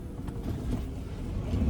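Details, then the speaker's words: 2000 Ford Ranger 3.0L V6 after fixing a high idle by cleaning the dirty mass air flow sensor, throttle body and idle air control valve: steady low idle that no longer climbs. "It's already idling on lower. Idling, it's not going up at all."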